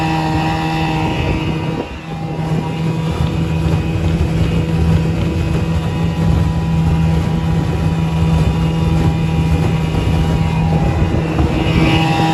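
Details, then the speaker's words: 1961 McCulloch Wizard 7.5hp outboard fitted with 9hp powerhead, being broken in, at high speed on water; steady drone with bubbling gurgle as the propeller aerates and water inlets likely draw aerated cooling water; pumps fine at lower speeds. "So you can see it pumps water fine at lower speeds, but at high speed you can actually hear it gurgling. It aerates the propeller a little bit, and the water inlets probably get aerated coolant."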